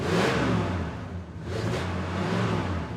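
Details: 1966 Ford Country Sedan V8, just overhauled with a new timing chain and new oil, not run well in 30 years: smooth, even rev blips rise and fall cleanly through a throaty exhaust with no knocks or misses, a healthy engine.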